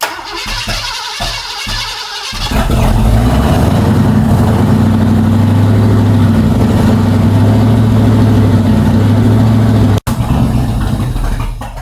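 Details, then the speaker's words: Old-school V8 with flat-tappet cams, fired up again after cam and timing work, flaming through the hood: two seconds of cranking, then loud, uneven running with a lumpy, wavering idle. Owner suspects excess fuel in the engine; the cause is not confirmed. "Something's wrong. Man, that don't seem right. There's a lot of fuel in there, bro."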